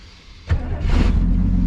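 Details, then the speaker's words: 1967 Chevy Nova barn find, off the road since 1983, restart after getting it running: short crank, fires at once and settles into a steady even low rumble with no misses; healthy start. "it starts right up still"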